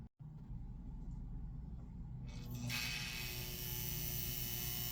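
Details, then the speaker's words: 1958 (owner thinks) Lionel 2383 Santa Fe F3AA locomotive, reassembled after motor, truck and E-unit work: steady low mains-pitch buzz over the motor whir. The E-unit reversing relay still buzzes, worst at low voltage, and the owner could not quiet it further. "So there's your E unit buzz. Again, not great, but it's what I could do."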